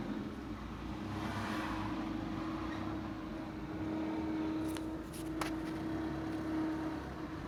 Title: cmax whining noise when pulling away